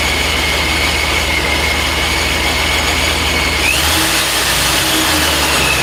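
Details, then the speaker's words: Supercharged "Superado 2.0" engine, first start after new manifold and mods, untuned: steady high supercharger whine over a fast idle with a brief rev rise; fires but with transient issues. Uneven running on first start. "okay we got some transient issues it fired up that's a good sign did fire up"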